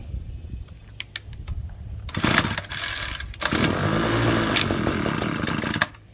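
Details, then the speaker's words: Free 2016 Ryobi HT26 26cc two-stroke hedge trimmer, said not to start, primer bulb pumped: several rope pulls on full choke, then the engine catches and sputters unevenly a few seconds before dying. "It says to pump it 10 times and then set it to full choke and then pull start the engine until it tries to start."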